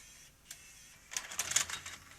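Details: Tascam DA-45HR 24-bit DAT recorder after repair, micro switch refitted: quiet motor whir, a quick run of light clicks and a soft clunk as the loading mechanism closes cleanly, normal operation.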